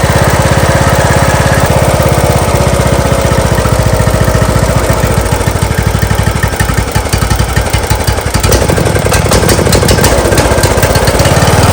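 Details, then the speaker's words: John Deere LA115 with a 19.5hp Briggs & Stratton engine that dies down at idle and smokes black: uneven single-cylinder idle sagging and stumbling; plug looked rich, carburetor suspected flooding from a bad needle overfilling it. "She dies down at idle. I'll show you what it does. Also starts smoking too."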